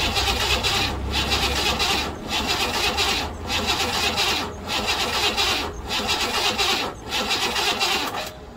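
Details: 1968 Buick Riviera parts-car engine, revival attempt: steady starter cranking dipping about once a second, never catches; battery getting low, timing issues being chased via top dead centre, cause unconfirmed.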